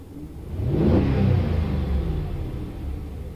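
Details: Stock 2015 Ram 1500 5.7 L Hemi, revved a couple of times. The deep rumble swells smoothly on each blip and settles back to an even idle, a clean and healthy rev response with no Hemi tick.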